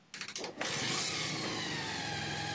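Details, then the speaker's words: Bajaj Pulsar 150 after timing chain replacement, first start: a few quick kick-start bursts, then it catches into a steady, even idle with no chain rattle; running healthy. "तो finally मेरी गाड़ी हो गई यह चालू आप लोगों को मैं आवाज इसकी सूचना दे रहा हूं"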